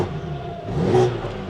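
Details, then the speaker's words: BMW G80 M3 with new engine, VRSF downpipes and stock exhaust with its valves unplugged: short rev rises and falls smoothly, fairly muted with a thin rasp on top; quiet but raspy stock exhaust. "This stock exhaust is horrible. The internet is right. These things don't sound good. This even has downpipes on it, and it's still quiet, but also sounds raspy."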